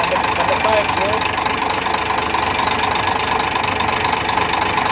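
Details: Idling engine with a light, fairly steady tapping knock, about two a second, over a busy mid-pitched hum: engine knocking, source undiagnosed.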